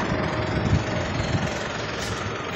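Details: Mitsubishi Montero 4N15 diesel after a no-start problem was fixed: steady low idle with even clatter, no misses or stumbles; running normally.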